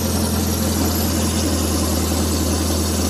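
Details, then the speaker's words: Suzuki Futura carburettor, also fitted to T120SS, on test: low idle drone with an uneven pulse; idle steadies when the idle air-mixture screw is turned in and shakes when backed out, mixture seeming too lean; dies at low idle, blamed on excessive pulser gap. "kalau dikecilkan stasioner agak anteng kalau dilepas goyang-goyang"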